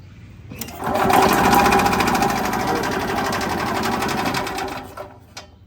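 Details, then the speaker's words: Ez-Go golf cart with Robin two-stroke engine cranks in a quick steady rhythm, about four pulls a second, fires but never catches; appears to be getting no fuel, possibly after the muffler was plugged while being blown out with an air hose. "Hey, did you hear it fire? It did fire, but for some stupid reason, she ain't getting no gas."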